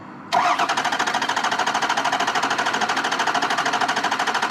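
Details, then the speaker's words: 2003 Ford 6.0 Power Stroke diesel, recently new injectors, compression check by cranking: fast evenly spaced compression pulses with no dropouts, so no bad rings, valve or piston; normal even cranking, engine internally good. "that's a really good crank so we know that the motor internally is good and there's not like a bad bad range or a hole in the Piston or or uh you know like a broken valve or something that's causing a loss of compression"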